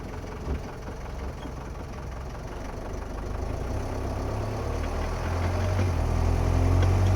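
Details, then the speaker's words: Driveshaft grinding from a 1972 Mercedes 220D W115 diesel, a low rough drone of about four pulses a second that grows louder with speed, right after installing an extended driveshaft; owner suspects it is too long, flex discs are misinstalled, or the broken speedo cable. "quite apparent that this noise is coming from the drive shaft that I just installed."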